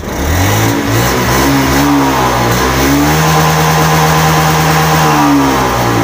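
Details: Older Honda Beat FI scooter with ACG starter, rough (brebet) at full throttle, MIL blinking code 8: revs fine at part throttle, then pitch wavers and sags at wide-open throttle instead of climbing; broken throttle position sensor wire.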